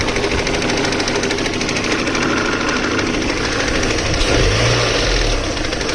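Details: Steady, fast metallic knocking over the running engine, roughly three knocks a second; deep bottom-end knock, owner unsure whether connecting rod, spun bearing or something else, and asks how to fix it.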